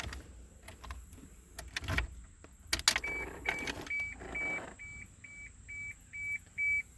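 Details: 1987 Toyota Supra, key on, no crank: keys rattle, then a high, even beep repeats about twice a second; owner suspects the anti-theft security system, cause not confirmed.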